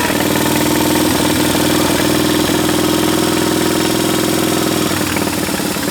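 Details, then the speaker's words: Military-surplus twin-cylinder engine running after a critter nest was blown out of the intake port: steady, fast-pulsing idle with a clear even note, no knocks, stumbles or smoke; runs cleanly. "Yeah, man. Sounds good. >> Sounds real good."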